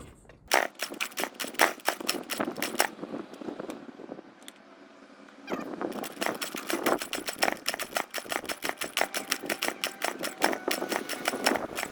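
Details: Baotian BT49QT 50 cc Chinese moped, first start attempt with a beer-can makeshift exhaust: sharp uneven popping fades for about two seconds then stutters back, running only briefly; rough, fuel-starved running from clogged carburetor jets.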